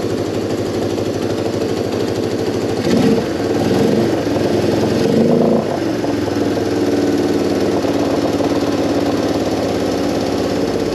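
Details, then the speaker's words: Moto 4 carb fuel screw adjusted with Motion Pro 90-degree tool, backed out a further 3/8 turn richer, idle screw raised: two throttle blips, revs settle back to steady idle; checking idle hang. "all right so I just went off 3 8 of a turn and the idle sounds like it's kind of dropping down a little bit so I'm going to give it give it a little more on the idle screw and then we're going to check to see how the idle hang is again"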